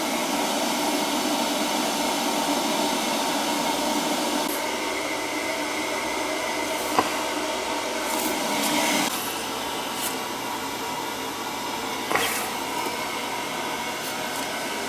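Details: Boiler after a call about a leak flooding the basement, now running zone 1 (first floor), which comes back warm: steady rushing hum with light clicks, no knocking. Running normally.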